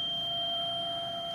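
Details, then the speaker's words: Everflo oxygen concentrator with the alarm sounding and the flow-meter ball floating up and down: constant high-pitched alarm with the purge barely audible. Usually caused by the solenoid valve sticking instead of switching between the two sieve beds. "it's purging but you can hardly hear it but you can again see the ball is floating up and down it's it's not staying in one position this is usually caused by the solenoid valve not U moving from the two c beds side to side so it's sticking"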